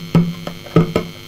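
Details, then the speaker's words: Homebuilt amplifier on a replacement junkbox transformer with poorer filter capacitors: a steady low mains hum under the output that jumps with loud thumps and gets worse whenever the circuit or tone control is touched. Poor shielding or grounding is suspected. "right as you can hear I'm getting a whole lot of buzzing I'm just going to take this thing apart can't touch this thing anywhere without it even buzzing even [Music] more"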